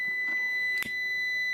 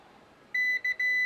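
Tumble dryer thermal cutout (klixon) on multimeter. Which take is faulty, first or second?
first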